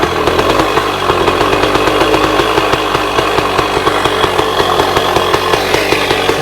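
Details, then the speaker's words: 1966 Bultaco Lobito high-compression two-stroke, restarted after clearing a fouled spark plug: running steadily with a quick, even thumping beat and a crisp exhaust bark; sounds healthy and strong. "That's kind of the Volco style. just gives a little uh it's a little bum bum bum bum bum. It's a very high compression uh motorcycle."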